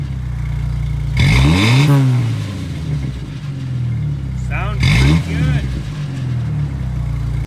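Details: Jeep Wrangler TJ 2.5L after new Thrush welded muffler installed, cold started and warmed to operating temperature; deep even drone swelling cleanly through two blips back to steady idle, no rattles or leaks; normal exhaust note.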